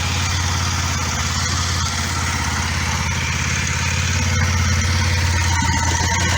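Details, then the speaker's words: Kawasaki ER5 twin, cold start after oil, filter, air filter, spark plug and cap service: steady even low throb at raised idle on choke, no misses or knocks; both cylinders same temperature, no fuel tap leaks. "so it's okay obviously it's on choke so she's running a bit high but uh both sides feel like the same temperature that's a good sign"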